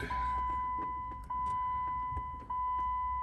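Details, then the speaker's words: Jeep, key on, temperature turned from hot to cold: steady chime with faint irregular clicking and popping from under the dash; bad hot/cold blend door actuator, likely a stripped gear, to be replaced. "All right, that sound's coming from up in here, and what it is the hot, cold blend door actuator's bad. More than likely one of the gears is stripped out of it or whatever."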